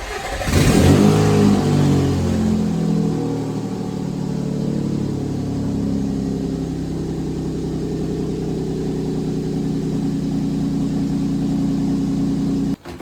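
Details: 2006 Nissan Xterra after no-crank/no-start fault (oil from failed valley cover gasket shorted ignition coil, blowing 30 A ignition fuse), O2 sensor plugged back in, fuse holding: quick catch, clean rev, smooth steady idle; normal start.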